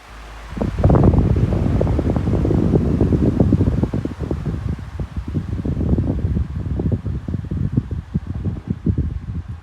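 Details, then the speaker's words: SMC 16-inch pedestal fan, found discarded and dirty, on medium speed: steady airy whoosh over a low, even motor hum with no scraping or wobble, a little louder than low, and the blade pitch barely changes. "it is a little bit louder on medium as you can probably hear but as you can see the blade pitch does not change much at all because it's not like the really flimsy blades where they like to flatten out"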